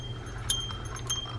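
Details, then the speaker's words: Shakespeare Alpha spinning reel cranked by hand: a bright, high chirp about every 0.6 seconds as the spool bumps the bottom of its stroke (bottoming out), usually fixed with a spool shim washer. "we have a spool bottoming out when you hear that chirp it means when you get to the low end of the cycle right down here it's bumping against the bottom it's called bottoming out"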